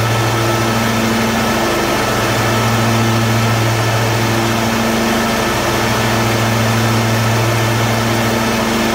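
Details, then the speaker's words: John Deere D155 lawn tractor after throttle control fix and steering greased, started on full choke: loud constant single-cylinder drone at steady speed, no surging; throttle now holds solid, runs normally. "Got this fixed. We get the click when we get up here to the, and it feels good and solid, like it's not going to slip when we go out driving."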